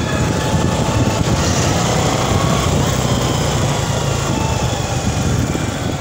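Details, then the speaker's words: Honda XRM110 road test in second gear after replacing the damaged second gear: busy single-cylinder drone with road noise, former gear noise gone; gearbox healthy. "first gear lagay natin sa second gear nawala na yung kanyang ah tunog"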